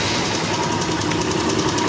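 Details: Honda Invicta CB150 single-cylinder: fast, hard metallic clatter over a rough idle that never lets up, worn rockers and cam bearings knocking from lubrication failure.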